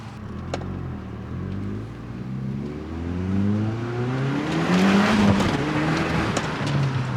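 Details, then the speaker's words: Audi S3 from auction, test drive after new spark plugs, intake hose rerouted onto turbo and fault codes cleared: smooth note climbing evenly under load, no stumble or miss; clean, healthy pull. "You know what? I absolutely love the sound of this thing. All right, let's go."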